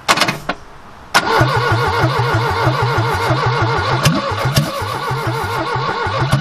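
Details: 1969 Ford Capri barn find with twin Weber carburettors, first start after revival: the starter cranks, the engine catches and settles into an even, pulsing run with a few throttle blips; it runs cleanly.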